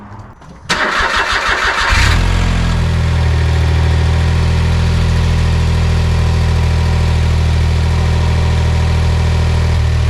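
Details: 2008 Smart Fortwo Pure 451 71 bhp, after a fabricated, welded bracket on the silencer/catalytic converter was refitted: brief crank, quick catch, smooth steady idle. There is no exhaust blow or vibration, and the earlier knocking from inside is gone.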